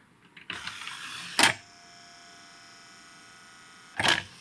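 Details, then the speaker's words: Realistic (RadioShack) CD-2400 CD player, late 1980s: short motor whirr, sharp clunk, pause, another clunk as the loader strains and fails to seat the disc; disc loading mechanism struggling. "and something's kind of struggling with you can kind of hear the sound difference like it wants to do something but can't quite do it"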